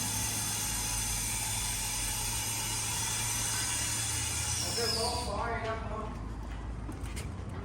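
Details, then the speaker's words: Infiniti G37 with test pipes/high-flow cats, after replacing the manifold-to-cat gasket with a custom-made flat gasket: engine idles smoothly and evenly with no ticking or puffing from the joint; exhaust leak fixed, normal idle. "so shop no more leaks running goods running better than it was before sound wise and all that"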